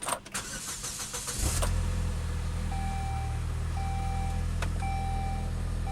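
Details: 2006 Saab 9-3 2.0T: short crank, quick catch, then smooth steady idle with soft chimes on top; normal, healthy start.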